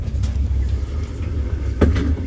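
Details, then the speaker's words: 2008 Nissan Quest driven before replacing a worn front CV axle seized in a bad hub/wheel bearing: heavy low rumble and rough drone with occasional thumps while the van shakes. "thing sounds awful. But, uh, we're going to go ahead and get it on up."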